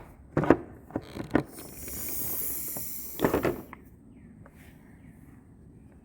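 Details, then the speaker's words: Jeep Comanche MJ air diversion vacuum canister, pumped to about 10 with a hand vacuum pump, still holds vacuum two hours later: clicks, then a brief hiss of air rushing back in on release, so the canister is not leaking and not the problem. "okay it's about two hours later let's see what we're doing yep it is still holding the vacuum so this is not the problem"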